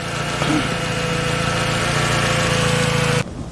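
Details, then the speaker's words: 1997 Honda Civic after partial engine rebuild, battery on charger: steady idle with a flat, labored note and faint thin tone, response slow, delayed and very sluggish; cause unknown, owner plans to check the fuel filter. "Somehow slow and delayed. See how slow and delayed that is? I have no idea what's going on."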